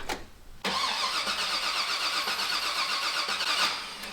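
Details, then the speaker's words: Firebird with new 408 Whipple-supercharged engine on first start, no fuel tank yet: starter spins steadily about three seconds without firing; cranks but won't start, likely because the ignition feed loses 12 volts while cranking. "Okay, car still doesn't fire."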